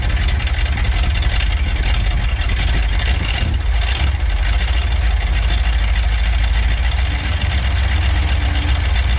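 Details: Barn-find Cadillac 7-liter V8 first running after 30+ years, with new plugs and good spark: deep, steady low rumble holding an even beat with no misses or knocks, smooth idle.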